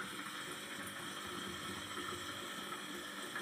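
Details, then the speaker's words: Panasonic washing machine filling: only a thin, quiet trickle of water with no strong rush; weak fill caused by the water inlet valve's diaphragm torn from long use, blocking flow. "anh em nhìn là cái máy này hiện tại là nước vô rất yếu thì trường hợp này là bị r quan nước vào nha mọi người"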